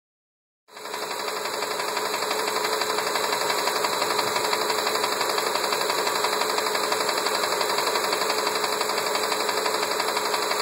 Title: 99 Expedition 5.4L Mistery knocking sound